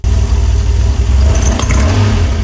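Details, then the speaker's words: DeLorean DMC-12 with Bosch K-Jetronic injection, warmed to the first gauge line, with worsening starting and hunting: revs sag and bog as the throttle closes, with black smoke from the pipes; running rich, fuel system problem under investigation. "We could hear that throttle response is absolutely terrible. Terrible bog on the return and black smoke showing a rich condition coming out the pipes."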